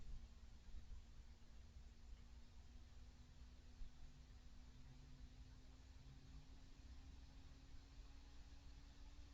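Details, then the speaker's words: Noctua NF-A12x25 fan being ramped up toward max RPM: faint steady hum climbing to a medium-tone whine that grows louder; normal fan noise, quite noisy at max. "now I'm starting to hear a little bit of a whine kind of a medium tone it's got louder and"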